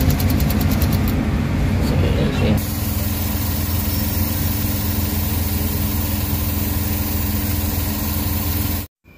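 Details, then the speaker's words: Suzuki DA17 engine at idle after new ECU fitted, lumpy uneven idle with shaky low pulse; still running rough, no fault code detected, ECU and vacuum to be checked again. "so nakig guys pinaandar na natin ang problema e Nanginginig pa rin yung makina So ibig sabihin may problema pa rin yung kanyang system"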